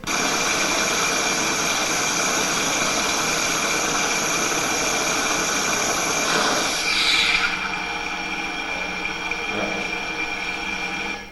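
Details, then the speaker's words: Ultrasonic measurement of a bearing as it is greased: a rough crackly hiss from the dry bearing settles into a smoother, quieter hum as grease goes in. The bearing was losing its grease film and had reached its relubrication point. "En fait, cet exemple-ci, c'est un roulement qui est arrivé en phase de relubrification. Donc il avait perdu, il est en train de perdre son film de graisse, et on arrive au bon moment."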